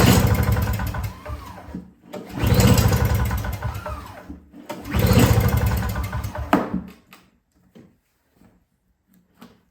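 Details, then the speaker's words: Yard Machines 21-inch single-stage two-stroke snowblower (50:1 fuel, fresh gas, key on run, choked and primed, barely takes prime): three hard rope pulls spin it with a rough chuff but it never fires; cranks but won't start, cause unconfirmed. "Doesn't seem like it wants to prime too much. It's trying to start."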